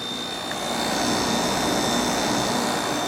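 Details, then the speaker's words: Samsung 5,000 BTU window air conditioner with rotary compressor, R-22, after repairing a corroded capacitor power wire: even whooshing airflow with a faint steady high tone and no rattles, clicks or labouring; running smoothly. "sounds good rotary sounds like a brand new"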